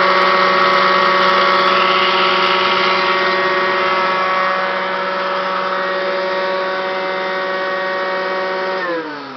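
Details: Kirby Classic 1-CR vacuum used only three times, bearings failed, getting louder and shakier: loud steady motor roar with a hard whining edge that winds down at the end; worn motor bearings.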